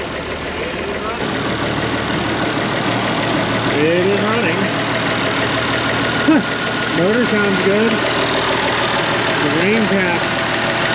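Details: Abandoned IH 4166 tractor diesel, sitting since about 2015–2016, after priming the injection pump: starts easily into steady even idle, clattering but smooth, no misses or heavy knocks; sounds healthy.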